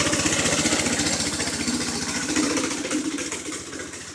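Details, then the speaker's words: Seven-horsepower single-cylinder engine on a home-built golf cart, first test ride, bad carburetor blamed: small quick thumps about three to four a second, beat wavering and stumbling under load; rough running. "well as you seen it does run it runs like crap but it does run"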